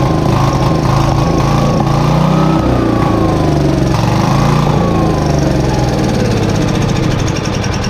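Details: Briggs & Stratton 531cc engine on a Lincoln Electric Weldanpower welder, untouched in a barn for decades, rusty fuel tank: it fires and runs loud and ragged, its pitch wandering up and down instead of holding a steady idle.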